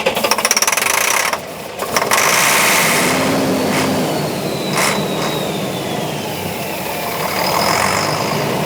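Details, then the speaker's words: 1999 Beaver diesel motorhome, stored 3–5 years, cranked on starting fluid with fresh fuel: quick uneven chuffing for about a second then fades to hiss; RPM doesn't rise, owner suspects the ECM isn't seeing engine rotation; cranks but won't keep running. "uh we find out when we run the engine on a starting fluid the RPM doesn't go up."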